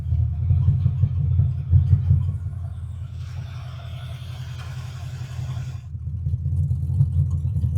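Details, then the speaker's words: 1942 Ford pickup with a 5 L 302 EFI V8 from an AU Falcon, dual mufflers, exhaust ending just past the diff, started on an 11.4 V battery after sitting: deep, even rumble that settles after a couple of blips, running healthy. "so let's see if it starts it's only got 11.4 volt so it's been sitting for a while yeah sounds pretty good"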